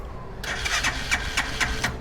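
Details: 200cc Thai three-wheeler (samlor), first-owner, hand-started: quiet, then catches at once into a regular, even putter of firing pulses with no stumbling; easy, clean, healthy start.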